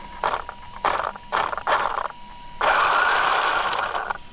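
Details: Traxxas Unlimited Desert Racer RC truck, two years old, plastic chassis: short bursts of scraping rattle, about four a second, over a thin motor whine. Something is catching in the driveline; the owner suspects a caught rock. Not confirmed.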